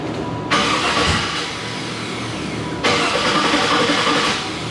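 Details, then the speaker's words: 1995 Impala with an LSX swap, after an LS Simple bracket install: two bursts of brisk, even cranking with no firing, a crank-no-start because the ignition coils were left unplugged. "And I was like, oh, I'm gonna try to start it and forget to plug those coils in. And wonder why it's not starting and I'm looking crazy. And what did I do? Forget to plug the coils in."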